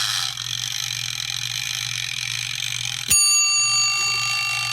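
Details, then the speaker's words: Heinz soup machine's old brass mechanical timer (about 1 min 45 s total), after repair: steady ticking for three seconds, then one clear bright bell strike that decays; bell rings only when wound around and back, timer now working properly. "What a beautiful noise, huh? Pretty cool."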